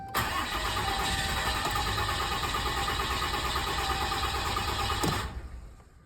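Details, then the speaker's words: 2017 Dodge Ram 2500 Cummins 6.7 diesel first start after fuel filter change, key cycled only 7-8 times instead of 10-15; long labored cranking into uneven stumbling catch slow to settle; hard start from air in fuel system. "That didn't sound too good. So another mistake, guys, make sure you cycle this 10 to 15 times. I did about 7, maybe 8 times."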